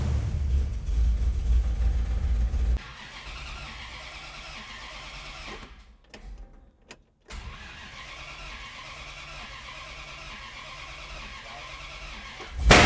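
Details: 1964 Dodge 440 with 383 big block, revived after 20+ years sitting, after transmission swap and starter wire reconnect: starter grinds without catching, engine kicks briefly as key is released; ignition box gets no power while cranking.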